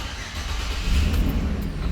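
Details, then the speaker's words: 2013 Chevrolet Express van, V6, after codes cleared and key cycle, with a bad fuse found and a wrongly installed crank sensor: engine catches almost at once into a strong, even rumble, RPM signal now present; normal start. "Whoa, that thing started up quick. Ah, so now we should have engine data."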